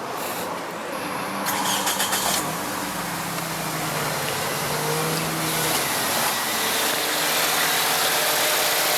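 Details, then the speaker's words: Toyota Matrix with misfire and flashing check engine light, after swapping in a used coil pack; no oil found in the plug well: engine catches quickly and settles into a smooth, even idle with no stumble or misfire; normal idle after repair. "Smooth as glass."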